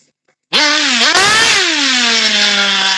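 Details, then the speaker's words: Nitro RC vehicle warming up during base tuning on 16% fuel, earlier running too rich: high-pitched buzz dips and stumbles when throttle is punched before slowly climbing, sluggish bog; mixture or fuel suspected, not confirmed. "I'm still getting a lag. So, I just want to get a base tune for now and then take it out there. But it sounds laggy like an old engine that barely had any power."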